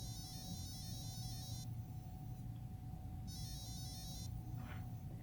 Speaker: P controller is now calibrated to the radio control unit